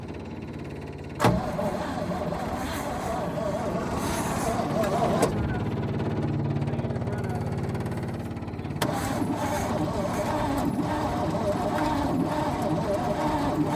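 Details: 1966 Chevrolet truck not run since 1996, sitting decades, fuel pump powered for the start attempt: starter churns steadily about three and a half turns a second with no catch or firing; cranks but won't start, cause not confirmed.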